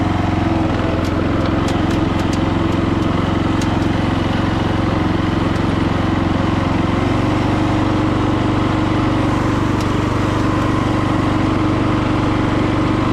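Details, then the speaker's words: Free roadside lawn tractor with a small single-cylinder engine, mower deck removed, test-driven after repair: steady, even running under light driving load with no knocks, misses or rattles; normal running. "All right, guys. Well, it runs good. It drives good."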